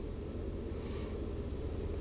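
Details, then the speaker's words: 2004 Chevy 3500 dually, 8.1 L V8, after battery replacement and throttle body cleaning, throttle angle dropping from 17 to 8-9 at 640 rpm: low steady smooth V8 idle rumble under some wind; normal idle after repair. "Start up. Look at that. Went from 17 down to 9. Amazing. Eight. 640 RPM."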